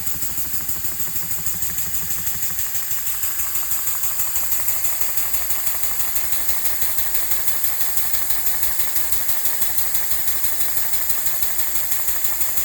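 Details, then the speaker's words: Elmer's #33 mill model steam engine on compressed air at about 20 then 30 psi, first test run: steady hiss over quick even chuffing around three per second; air leaking around cylinder head and packing nuts, to be fixed with packing and gaskets. "So, I can see we're leaking a little bit of air around the cylinder head there. And sounds like and feels like we're leaking a little bit air around the packing nuts."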